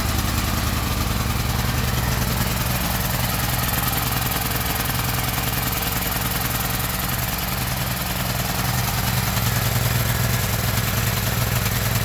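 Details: Gasoline generator's small engine holds a steady, even thump of about three beats a second with no misses; running normally.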